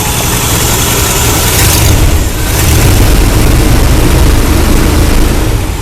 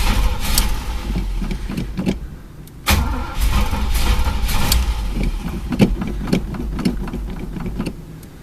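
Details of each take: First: Carbureted Chevy El Camino after refueling an empty tank (broken gas gauge) following a no-start: deep, steady idle holding speed without stumbling or hunting; engine running healthy though plugs are old. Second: Chevy El Camino sat about a month and a half, broken gas gauge read full; repeated bursts of steady cranking never firing, no fuel coming out of the fuel filter; no start because tank was out of gas.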